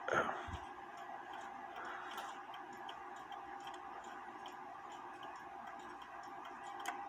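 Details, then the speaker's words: Repaired 1917 Junghans German mantle clock with chime silencer closed at the half hour; steady ticking with only dull muffled thumps where the gong should ring, the movement goes through the motions without a proper chime. "now i'm gonna close this for the half hour and let you hear what it sounds like it's probably gonna sound like crap"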